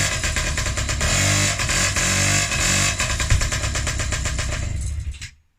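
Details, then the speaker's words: Restored Honda QR50 two-stroke running indoors on first start after rebuild with new carb, a little petrol, oil not yet added: buzzy, crackly, revs rising and falling, fairly even beat; normal running. "So that's it started. I just put a little bit of petrol in."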